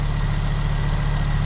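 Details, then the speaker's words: Ford Focus ST barn find idling while warming up to check coolant circulation. A steady, even low burble with a faint constant whine and no misses or knocks. It sounds sweet and has oil pressure. "Well, it's running, and it sounds sweet enough. Yeah. And there's oil pressure."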